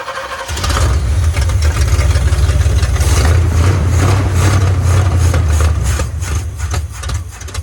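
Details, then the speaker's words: 1980 Chevrolet Silverado 30 series big block (assumed 454), sat for years: the old carburetor isn't squirting, so it fires on starter fluid, revs briefly, then dies. Fuel starvation; the carburetor will be replaced. "Yeah, fuel's not getting through. We put that carburetor on."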